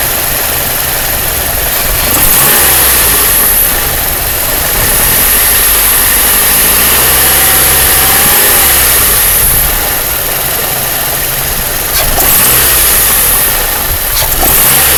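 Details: Chevrolet Cavalier petrol engine at cold idle, quick steady tick about three to four a second, loudest under the valve cover, especially loud when cold and gone once warm; cause unconfirmed.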